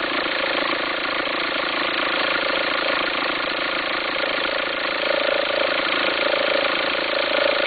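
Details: 2004 VW Passat 1.9 TDI diesel at idle: uneven, pulsing farting/rumbling flutter about three times a second over the clatter while the belt appears to jump; owner suspects a worn pulley or alternator, unconfirmed.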